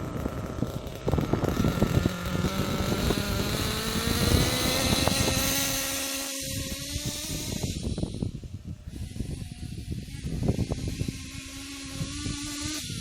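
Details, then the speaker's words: Kyosho KE25 Big Block nitro engine, full-throttle pass with high-speed needle about 2.5 turns out: revs climb slowly, soft muffled buzz, very sluggish; mixture set too rich. "That was full throttle. As you can see, that's very, very sluggish."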